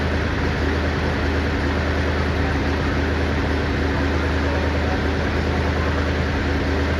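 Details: 1959 Chevy Impala 348 V8 after cam break-in: steady idle with rough uneven puffing chuff over the low rumble from a bad passenger-side exhaust manifold leak at the donut gasket underneath; owner plans to tighten it.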